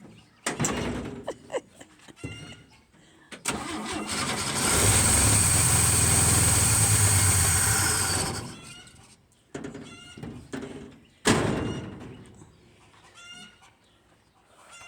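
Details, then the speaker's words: 1966 GMC pickup with a 250 cu in six-cylinder and SM420 four-speed, first start after more than 10 years: it runs a few seconds with a lumpy, uneven beat "like a John Deere" and then shuts off. A clogged bronze fuel filter is suspected. Rough running. "I don't know why it sound like a John Deere because maybe it always wanted to be a John Deere"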